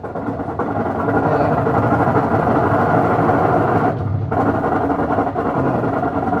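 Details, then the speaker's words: Whirlpool top-load automatic washing machine, old unit: loud, rough continuous whirring drone during spin; technician says the gearbox bearing is rusted, a common Whirlpool problem. Still usable despite noise. Worn gearbox bearing. "sabihin po kasi niyan, yung bearing dun sa gearbox niya makalawang na. Opo, lagi pong problema ng ganitong Whirlpool yan."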